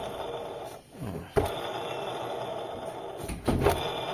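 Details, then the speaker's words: Mitsubishi Lancer GLXi, engine off with the belt removed: the AC compressor pulley is hand-spun and gives a dry, rough whirring. This worn bearing caused the grinding at idle near the timing belt side, and the noise went away once the belt was off. "So pinaikot ko muna 'tong ano yung bearing dito sa compressor. Ayan oh. Ayan kung nadirinig niyo mga boss."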